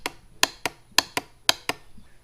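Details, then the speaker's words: 2002 Honda Rancher 350 TE2 ATV, original problem before engine removal: key on, pressing start gives seven sharp, uneven clicks in under two seconds with no cranking; starter circuit clicks but engine won't turn. Cylinder replaced, then starter swap attempted; cause unconfirmed. "you turn the key on and everything is set up ready to go and you go to press that start you hear that clicking"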